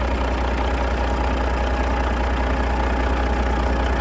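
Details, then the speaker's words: Detroit Diesel DDEC semi truck sat 11 years, first start: fired right up into a deep, steady idle with even chugging pulse, no misses or knocks; oil and air pressure up; normal idle. "Wow. That thing fired right up."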